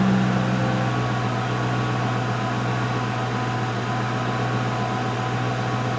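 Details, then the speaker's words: 2005 Mercury Grand Marquis after replacing the rear air springs: air-suspension compressor runs with a steady low electric hum, no rattles or strain, raises the car to ride height and shuts off, no check-suspension light. Normal compressor operation, quieter than before the repair. "So picked it up, nice ride height, and obviously the pump came up, shut off, and the check suspension light is off, no warnings, so I think we got it."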